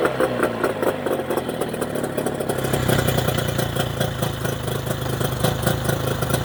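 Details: Mercury 25HP two-stroke outboard in neutral after the Boyesen power reeds are fitted, with the idle being set: even, crisp burble with a steady beat and no misses or stumbling. Normal idle.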